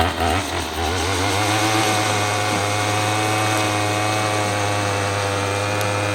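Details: Troy-Bilt TB22EC two-stroke string trimmer, brought in as a no-start after sitting unused, running after a primer bulb replacement: it buzzes up and holds a steady, even high-pitched drone without stumbling, running cleanly.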